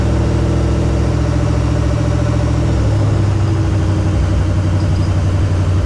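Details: 1968 AMC Rambler American 401 V8, rebuilt and then left sitting ten years, first start on break-in: deep steady fast idle with even firing pulses, no knocking or ticking. Healthy but needs tuning; it got hot (about 225).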